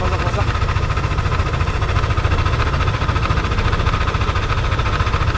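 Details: Yamaha Aerox scooter at idle, inspected before disassembly: rough, uneven low knocking around three per second over the engine beat, unlike valve clearance or rocker arm noise, consistent with a failed camshaft bearing.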